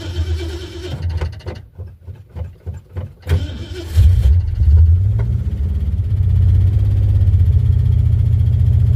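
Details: Ford Fairlane number 1, sat over a month in a snowbank with battery still charged: several seconds of uneven cranking, then catches cleanly into a steady, even idle with no knocks, about 15 volts and 40–45 psi oil pressure. Normal start.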